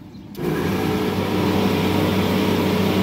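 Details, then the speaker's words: Refrigeration fan motor: starts with steady low hum and slightly rough, gritty whir from dry bearings; worst motor's failing bearings also draw higher amperage. "in good, but you can tell those bearings are dry. And then when you go to this one, this little piggy wants to go home. As you can tell, that one's not only noisy because the bearings are going out of it, but it's also pulling higher amperage because of it."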